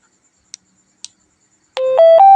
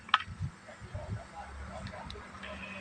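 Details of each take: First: Handheld two-way radio after swapping in a speaker from another radio to replace the distorted original: a clean rising three-step tone after a couple of key clicks, loud and undistorted even at full volume; the speaker works. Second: Two-way communication radio, test audio with original speaker that is weak and breaks up when talking; harsh crackly distorted sound. Speaker to be swapped with same-size one from another radio (16 ohm vs 8 ohm).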